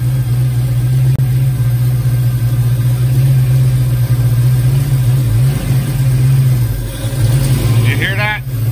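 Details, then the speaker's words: Foxbody Mustang V8 after engine wiring harness swap, cold start: steady even idle sitting noticeably high; owner suspects open loop because engine is cold. Earlier idle-changing fault not reproduced. "it revs up a lot higher than that it might be an open loop though because the car is cold anyways let me shut it off"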